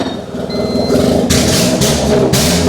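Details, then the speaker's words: Honda started right after arc welding on the car with battery still connected: engine catches straight away, revs up and down cleanly with an even note and no misfire; healthy running, electronics unharmed. "just can't kill a Honda she just takes it keeps going"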